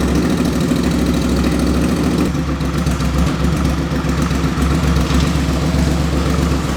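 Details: 2005 Suzuki V-Strom 650 after an engine swap for rod knock, with a very low-mileage replacement engine, first start with the muffler off: loud unmuffled V-twin settling into a steady, even idle, no knocks or misses and no drips; normal idle.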